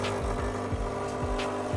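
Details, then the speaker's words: KRUPS coffee machine after leak repair with new brew piston seal and error reset, warming up: steady low pulsing about three beats a second over even hum, likely flushing or draining; normal pump cycling. "I think it's flushing the unit out or draining."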